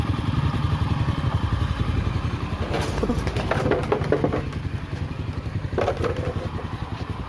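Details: Honda Astra Star motorcycle after repair of a noisy cylinder head: oil passages blown clean so oil now reaches the head, rocker arms replaced; idles with an even low thrum and no ticking.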